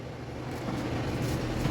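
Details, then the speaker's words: Condura air conditioner, previously only humming at fan and compressor; after reconnecting fan and hermetic compressor wiring, draws 2.8 A, steady low hum under even fan rush, strong airflow; compressor and fan running normally. "2.8 amp gumana na yung pan gumana na yung compressor niya aan malakas na yung hangin dito"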